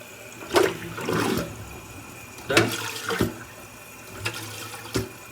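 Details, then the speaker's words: American Standard toilet after the flush seal was replaced: repeated quick flush surges end cleanly with no trickle or hiss, so the flush valve seals properly. "Now, listen closely. You don't hear any dripping. You don't hear any You don't hear water getting past that seal."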